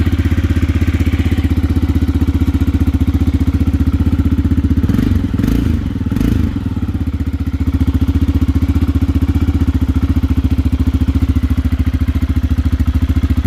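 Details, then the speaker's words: Aprilia motorcycle engine after install, running following a hesitant first start attempt: steady, even low thumping idle with no misses or knocks; slight smoke attributed to exhaust pipe sealer burning off; engine running healthy. "And that, ladies and gentlemen, is the sound of success."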